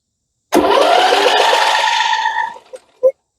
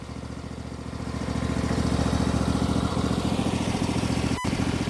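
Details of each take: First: MTD Yard Machines 21hp 46-inch lawn tractor, Briggs & Stratton V-twin said to have a blown engine, PTO switch held: two seconds of steady starter whirr, turning over without catching, no big knocking; no start. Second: MTD 21hp lawn tractor, Briggs & Stratton V-twin once said to be blown, now running with heavy exhaust oil smoke and oil residue on valve cover: steady, even V-twin beat, no knocks, ticks or rattles; internals sound fantastic, normal running.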